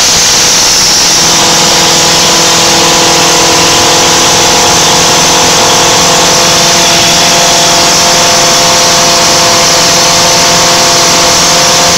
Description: Joes landrover defender 200 TDI started for the first time after a years rebuild and this is what happens when the engine runs off its own oil